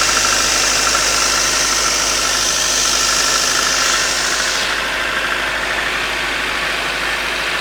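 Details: Toyota 5A-FE engine at cold-start idle: light, steady ticking knock about three per second over a hissing background, starting around 15 seconds in; owner thinks it comes from under the valve cover, unconfirmed.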